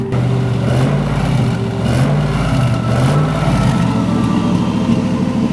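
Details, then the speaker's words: Turbo LS1 Z28 Camaro with a stock cam, in January. A deep loping idle rocking about once a second with uneven thumps; the choppy cam-style idle is deliberately tuned into the ECU ("Ghost Cam"), not a fault. "we weren't able to actually afford a cam to put into the car, right? But yep. We've got the next best thing. Yeah. It's called the Ghost Cam."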